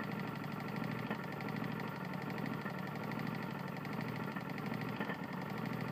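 Small single-cylinder engine running with a heavy, uneven knock throughout, a worn connecting rod.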